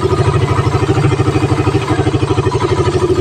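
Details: Raider 150 with stock carb, about a year old, after carb cleaning and retune for weak pull and difficulty reaching 100 kph; crisp, regular single-cylinder beat at an even pace, no misses or sputter: normal running.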